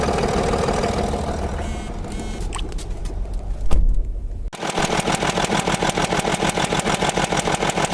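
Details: Land Rover Discovery 3 2.7 diesel, about 280,000 km (estimated), eni i-Sint 5W-30 oil: once started, heavy regular knock about three per second over diesel rattle, gradually increasing; spun rod bearing shells.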